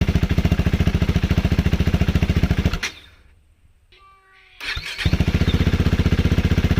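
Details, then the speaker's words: KTM 390 Duke single-cylinder: loping idle thump fades and dies, brief silence, then it refires and idles again. It stalls at idle and low speed, a common 390 problem; the owner doubts a dirty throttle body and plans a new plug and air filter. "So this KTM shares the same issue as many other KTMs, and that is the stalling issue."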